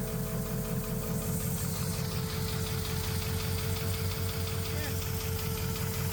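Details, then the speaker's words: 1971 Chevrolet El Camino SS big-block V8, valve covers off with beer-can oil deflector while checking valves, oil squirting from a lifter; rapid uneven light ticking about three per second, still some noise; valvetrain ticking at idle. "so I still heard some noise maybe not as much as I was hearing with the valve cover on"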